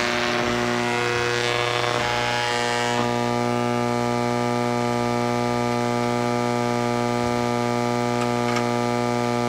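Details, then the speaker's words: Hammarlund SP-600 communications receiver gives a loud steady hum with buzzy overtones and hiss, no station received; the owner suspects another failed capacitor, and the fault is not yet found. "Doesn't sound right, does it? Does not sound right. For all I know, another capacitor has failed in this radio, and you know, I haven't caught up with that yet."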